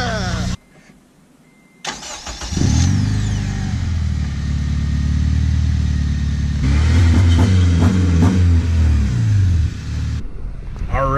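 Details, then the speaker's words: Honda engine starting after a new remanufactured Mitsuba starter and coolant refill: brief crank, catches cleanly and settles to a smooth steady idle, the rattle gone. "guys in the Whip and the rattle issue is officially gone new starters in coolant is in the system"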